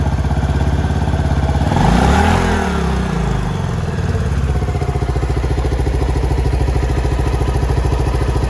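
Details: Suzuki Skywave AN250 scooter, previously cutting out with an injection light, after a 12 V bypass line was fed to the fuel injector: a steady single-cylinder putter of about three beats a second with a quick blip. The fault code has cleared. Normal idle.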